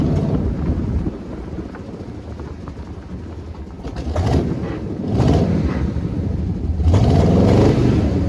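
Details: 1979 Jeep J20 AMC V8 with dual exhaust, low compression, fed from a small fuel can: lumpy, uneven idle with a stumbling beat that stays ragged through throttle blips, a compression misfire.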